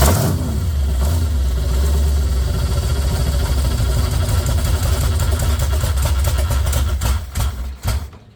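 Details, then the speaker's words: Chevy 454 swapped into a 1971/72 Pontiac LeMans, first start on open headers: deep, uneven, lumpy rumble at about three pulses a second, then it stops. "head burning off turn rocking hard. That's not a good look. Not sure why she rocking so hard."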